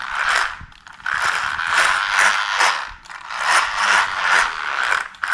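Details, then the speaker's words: Maverick Quantum R RC car, motor removed, drivetrain turned by hand: gritty ratcheting whir in repeated bursts at a tight spot; gear binding noise, owner suspects imperfectly machined parts, half-resolved by greasing diff ring gears and pinion, then after first run. "Au niveau du bruit qu'il y avait dans la transmission là, j'ai enlevé le moteur, hein, il est plus dans la transmission et j'ai toujours ce fameux point dur là avec le bruit là."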